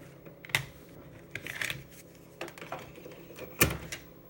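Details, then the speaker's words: Amiga A1000 booting from the kickstart floppy, floppy light on, to Workbench 1.3: scattered light clicks and brief ticking bursts from the head stepping, with no grinding or scraping. The floppy drive is reading normally. "Light on the floppy drive's lit up. It's whirring away. And shortly it's going to ask for the workbench."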